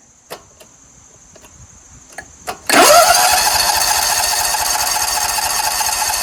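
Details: Scag Tiger Cub 48-inch commercial zero-turn mower with dirty carburetor, on a jump starter: a few clicks then steady starter whir with no firing; cranks but never catches, possibly because the seat switch isn't engaged; weak battery and jump starter.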